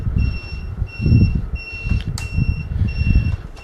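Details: Ecoryder Dragon ER 500 electric scooter after finished repair and rewiring, display reading 63 volts, front and rear turn signals tested: high clean beep every half second over handling noise; turn signal beeper working.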